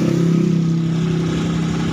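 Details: Honda Beat ESP that dies despite a new battery; with battery removed and kick-started, the engine idles with a steady low putter then sags and stalls, pointing to a charging system fault (stator or charging relay).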